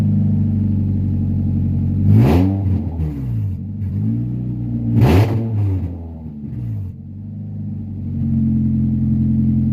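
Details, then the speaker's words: 1996 Honda Prelude Si H23A1 after engine install, in neutral, on old fuel, owner says it leaned out. Very loud wavering idle, two sharp revs that stumble and sag; rough running, cause unconfirmed. "we got the car to start i started it like three or four times you know it broke up a lot it didn't sound great but it fired off like nothing which is fantastic"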